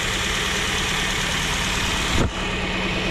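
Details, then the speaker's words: Toyota Vios at idle after a typewriter-like ticking was repaired, with the valve cover sitting loose and not bolted down. Steady, even hum with no ticking or tapping; the typewriter sound is gone and the belt is turning. Normal idle. "Tahimik na oh, no? Sobrang tahimik. Wala na yung typewriter na tunog."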